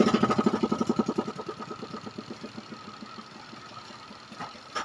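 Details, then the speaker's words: Panasonic twin-tub washing machine spin dryer, which shakes and is noisy: loud non-metallic plastic knocks about three per second, slowing and fading as the tub runs down; cloth suspected jammed between the tub and spin drive motor shaft. "baka nasingitan to ng ano eh ng mga tela o ano kaya yung ingay niya ganun eh parang may tinatamaan siyang ano eh plastic"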